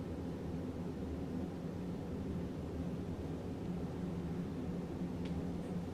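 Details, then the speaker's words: 1991 Hunter Summer Breeze ceiling fan on low speed: soft, even low hum with a faint steady whir and no ticks, rubs or wobble; bearings still good, normal low-speed running. "got a pleasant low speed go off and then up to high it's pretty good performer still got good bearings in it"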